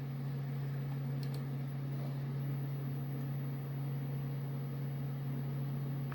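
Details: CD drive in a Via C7 1000 board PC while reading a disc: steady low droning whir at one pitch, loud for a drive; noise from the spinning CD.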